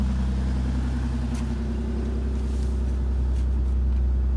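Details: BMW E36 just after an oil and filter change, very cold on choke: even, steady idle with a deep smooth hum and no clatter or ticking; the earlier strange noises are gone, with no smoke, and the engine sounds healthy.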